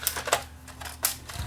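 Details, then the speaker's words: Panasonic S-VHS-C camcorder in playback mode: irregular sharp clattering bursts over a faint whirring, with the whole camera vibrating; a bad bearing is suspected, a bad head drum per the description, and the tape won't eject. "Wow that doesn't sound good that sounds bad that almost sounds like there's a bad bearing in this thing"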